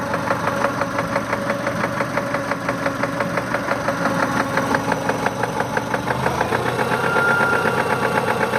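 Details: 1999 Subaru Legacy EJ22, 150k miles, at idle: heavy steady knock in time with the crank, growing louder; progressed from suspected piston slap within 20 miles after a timing belt change; suspected rod knock, unconfirmed.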